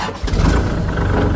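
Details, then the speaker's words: 2018 (Thai year 2561) Kubota L4018 four-wheel-drive tractor diesel: brief crank, catches almost instantly and settles into a steady, even idle. Easy, normal start. "สตาร์ทติดง่ายนะครับ"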